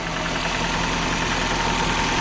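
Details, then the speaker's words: 2014 Nissan Rogue at idle after replacing VVT oil solenoids: even, smooth idle with faint steady whir, no ticking or knocking; runs well, no oil leaking, O-rings sealed. "it sounds good now i don't see any oil pulling out of pullering out anything so i know we got our o-rings nice and sealed in and stuff"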